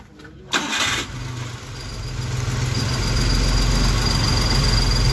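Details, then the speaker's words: Daihatsu Hijet 1000 three-cylinder after valve adjustment (about 0.10 intake, 0.15 exhaust), previously ticking from too-wide clearance: starts instantly and settles into a smooth, even idle with no valvetrain ticking; normal idle. "oke ya Lur setelahnya sudah enak top share kemudian halus dengan setel klep yang kira-kira menurut feeling saya itu sudah Saya rasa cukup nggak terlalu rapat tapi sedengan"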